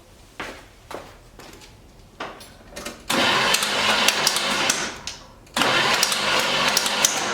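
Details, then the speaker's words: 1976 GMC Sprint that ran fine days earlier: starter bursts spin the engine fast and light with no compression pulses and a thin clatter up front; owner suspects a broken timing chain slapping the timing cover, unconfirmed. "it's spinning over real easy. It kind of sounds like the timing chain has broke, and it's slapping the timing cover."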